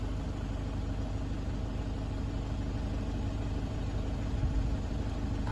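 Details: 2009 Toyota Hilux 1KD-FTV D-4D diesel, 218,000 km, after replacing one faulty injector and a road test: steady low idle with even, regular combustion and no sharp knock or uneven clatter. Normal idle.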